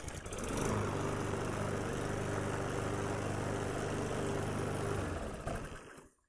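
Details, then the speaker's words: Troy Bilt TB110 mower with Briggs & Stratton 550e engine after replacing carburetor, air filter and spark plug: starts on the first pull and settles into a smooth, even steady run with no misses or hunting; healthy. "Thành thật mà nói, tôi hoàn toàn ngạc nhiên khi nó bắt đầu ngay từ lần kéo đầu tiên."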